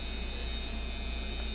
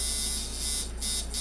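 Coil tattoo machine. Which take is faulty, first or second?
second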